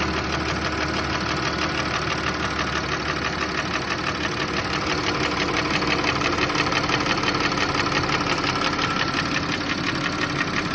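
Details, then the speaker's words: Audi A6 C6 2.8 FSI V6 at idle: steady tapping knock about three a second from the front of the engine, present cold and hot and gone at higher revs, starting a month after an oil change, with the check engine light on. Cause unknown. "Когда запускаешь двигатель, смотрите, какой звук. Стук. Где-то вот отсюда."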